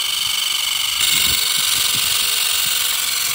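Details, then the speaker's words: K170 UH-60L Black Hawk RC helicopter after a crash, still flying: a harsh, buzzy high whir with rough low thumping underneath. Something is damaged inside; exact cause unclear. "Will it still work? Oh my god, it still works. It just sounds terrible."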